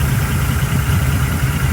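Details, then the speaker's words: Engine from the owner's car, heard before it was pulled, idles with a loping V8 beat and a sharp regular tapping on each firing; first thought a loose rocker arm, now suspected wrist pin or piston skirt, not confirmed; definitely not good. "it did not sound well it sounds like maybe a wrist pin Poss possibly uh a piston skirt I'm not sure what that noise is but definitely not good"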